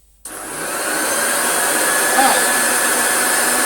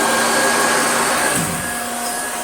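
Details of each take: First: Hoover Junior 1354A Dirtsearcher upright vacuum motor run after finding its sloppy belt had ridden up on the pulley: steady even motor roar with faint whine, no knocking or grinding; motor healthy, noise was the belt. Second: Damaged Hoover Junior 1354a Dirtsearcher upright vacuum running: steady high motor whine with no beater thump, brush roll stopped or rattling; very sloppy belt slipping on the pulley.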